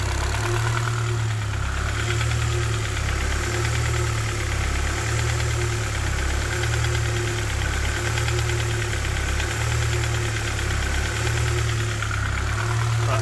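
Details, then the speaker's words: K-swapped Honda Civic EP2 after IACV delete, warming up (about 57 degrees): loud idle hunting slightly with a deep thump pulsing under it; knocking of unknown source, earlier louder, new since idle fix. "well it's sort of idling by itself it's hunting a little bit but it's a knocking noise from somewhere"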